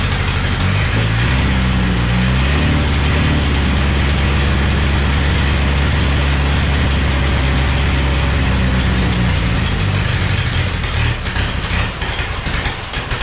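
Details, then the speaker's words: Chevy S10 swapped with a 3.0L turbo boat engine during break-in, at idle: loud low idle with an irregular chattering tick about three a second. The belt tensioner is fluttering because the alternator isn't square on its bracket, and the belt was seen flickering when revved. "it's just that's the noise with that connection over here the tensioner is moving well i know like the alternator isn't perfectly square on its bracket"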